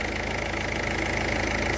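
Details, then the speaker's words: Diesel car in cold weather after fuel filter change and bleeding air from fuel system: steady, even diesel clatter at idle with no misses or hunting; some bubbles remain in fuel line but engine runs normally. "so but we have still we have some bubbles but uh i don't care it's working"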